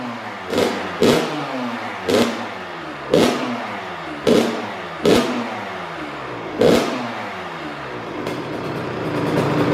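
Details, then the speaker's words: Brand-new Kawasaki KX112 on its first runs after a build: Pro Circuit pipe, R-304 silencer, Boyesen RAD valve, VHM high-compression head, Uni filter, rejetting, and Castrol 927 with premium non-ethanol fuel. It is restarted without choke. Sharp throttle blips return cleanly to idle: crisp, healthy two-stroke. "Sweet, runs great, super happy with it. Great build, highly recommend everything I did to this bike for the KX112."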